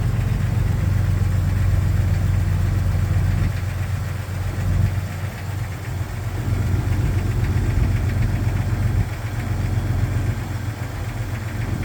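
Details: 1999 Jeep XJ Cherokee cold start: at cold idle a steady low knock about four per second under the engine hum; piston slap suspected, unconfirmed.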